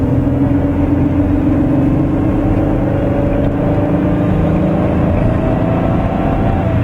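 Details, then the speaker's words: 2001 Ford Taurus wagon, 194,000 miles, highway cruise in cold after driver-side rear wheel bearing replacement: even steady tyre roar, big whine gone, unreplaced other side faintly audible; normal road noise, repair successful. "sounds pretty good i can't hear the other one just slightly but the big wine is gone the big going down the road is gone"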